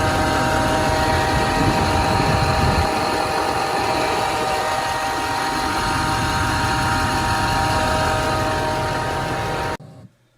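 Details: 2006 Duramax diesel at idle: steady high whirring whine with slipping squeaks, first suspected alternator, which was replaced without fixing it; traced to a worn idler pulley bearing by spinning pulleys by hand.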